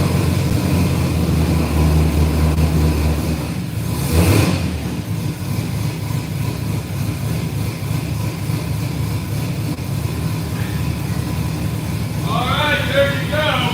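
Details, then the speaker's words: 1967 Camaro V8 after fixing an earlier rod-knock-like banging noise: steady rumble with a brief rev, then an even idle; no knocks or rattles, and it now shifts and drives. "I think we got the camarra running and driving I don't think we have to do anything else to it it's a done deal and it's all over with that's it um no noises no rattling the car shifts and drives and we got everything fixed"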